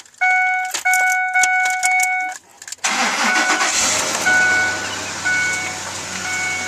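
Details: 2006 Ford F150 after replacing pulleys and belt: a few chime pings, then it cranks, catches quickly and settles into an even idle. The earlier whine is gone; healthy start.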